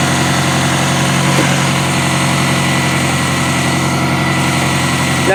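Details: Circa-2000 Toyota Camry four-cylinder, 5-speed manual, demolition derby car: uneven, lumpy idle dipping now and then like a weak cylinder; owner says no cylinder is dead, cause not yet found.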